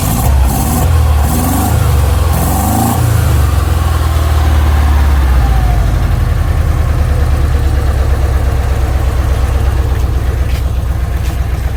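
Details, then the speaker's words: 1959 Porsche 356A restarted after correcting its plug leads to the 1-4-3-2 firing order (it had been running on only 2 cylinders): after brief cranking it settles to a steady, even idle with a firm beat on all cylinders. "We checked the firing order, 1432 on these things, and it's been like that for Jesus Christ was a baby. And the firing order was out. It was only running on 2 cylinders. So start it up again now, Pete, see if it's running."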